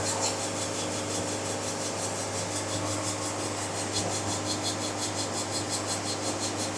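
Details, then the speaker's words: Hydraulic bandsaw mill quarter sawing: light rhythmic rasping rub, about three strokes a second, over motor hum; band rubbing in the cut, crud suspected stuck to the blade, cleared by increasing the flow rate. "Oh, I don't know if you can hear it, there's a little bit of crud or something stuck to my saw blade is what it sounds like."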